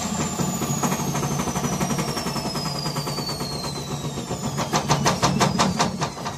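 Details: Gorenje WaveActive washing machine in spin: heavy rumble with sliding motor whine, then bangs about three times a second as it jumps and shakes; broken drum bearings.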